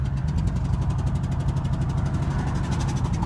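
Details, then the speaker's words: 1999 Ford Expedition 5.4 Triton at idle: rapid sharp ticking puffs, about ten a second, exhaust chuffing from a cylinder whose spark plug blew out (cylinder #4; #3 blew earlier, within six months). "that's what it sounds like when your Tron engines spark plug blows out again 99 Expedition"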